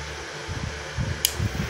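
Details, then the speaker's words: Rhino MMA IGBT welder PCB after repair (new KA3525 PWM IC), powered up with a 24 V fan as load on the 25 V fan line: fan spins up fast and loud with steady airy whir, no rubbing or ticking; normal. "Oke, nyala ya, ini kipasnya nyala kencang banget."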